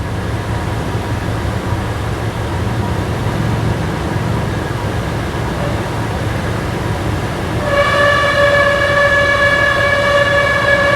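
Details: 2011 Toyota Tacoma at idle: loud steady high-pitched squeal from the AC compressor as it tries to engage, compressor turns freely by hand, static pressure 75 psi; failed AC compressor clutch drive plate.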